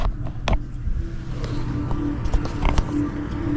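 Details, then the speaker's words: Honda Prologue EV at crawling speed with the window down: a low synthetic warbling hum over light road noise that grows louder with acceleration, played from 0 to 23 mph and cutting off at 24 mph; normal pedestrian warning sound. "and now it gets louder it gets louder as you Accel Cate through the 23 M hour of where this sound plays through okay"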